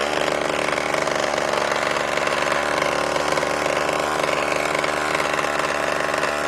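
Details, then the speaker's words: RedMax two-stroke weed eater, sat for years, running rich on Lucas 2-stroke mix, held at full throttle with choke on: harsh ragged buzzy scream; engine has blown up, though compression still feels high. "That's full throttle. That was also with the choke on too. Still got lots of compression."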